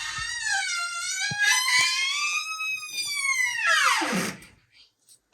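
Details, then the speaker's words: Bedroom door with dry hinge pins, heard before the fix, with black graphite-powder staining from an earlier wrong fix: a long, high wavering squeal as the door swings, sliding down in pitch as it stops; white lithium grease is the intended fix. "let's hear an example of this really squeaky door before we fix it"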